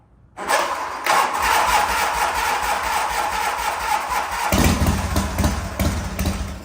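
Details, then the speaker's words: 1985 Harley-Davidson FXRS Evo V-twin, sat five years, rebuilt carburettor, started on a jump box (wrong battery ordered): catches after short crank then runs lumpy and uneven with stumbling beats; rough running from insufficient battery power. "it runs not well but it does run let's try that again I hate jump boxes"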